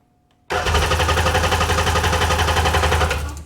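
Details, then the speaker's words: Sea-Doo GTX DI 951 with rebuilt engine: about three seconds of steady cranking that never fires. Crank, no start. "I got to get up to 100. What is the issue? If I dump a little bit of fuel in the engine, it'll fire."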